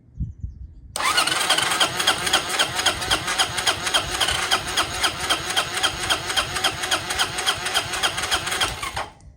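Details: 1993 Honda Helix scooter found in a sand dune, first start attempt with a spark plug put in and faint spray of starting fluid: steady starter churning about four pulses a second, only faint weak catching, no real firing; cranks but won't start.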